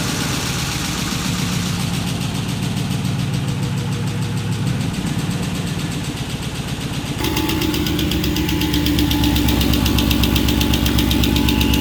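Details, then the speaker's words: Ford Capri with swapped Mercedes M113 5.0 V8, second start attempt, exhaust leaks present: fast steady tick about four per second over the idle, a top-end noise that was terrible at startup and quieted after running and revving; maybe hydraulic lifters. "So yeah, this top end noise is odd. Well, this thing here sounded horrific when I first turned it on. The top end sounded terrible, but running for a bit and revving it, it's quieted down, so maybe hydraulic lifters, al"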